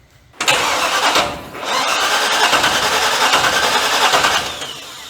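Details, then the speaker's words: 1940 Chevy coupe engine catches, runs about three seconds and slowly dies; gas shooting out the carburetor vent tube and the vent by the accelerator pump because the float is stuck wide open, flooding the carb. "gas is just shooting out the vent tube and that other little vent right there by the accelerator pump floating it's it's hung wide open I have no clue why but it is"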